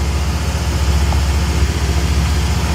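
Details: 1971 Triumph TR6 barn find that sat about 20 years, after a clutch slave cylinder change and bleed. Low, steady idle rumble that holds even with no misses or knocks: a normal idle.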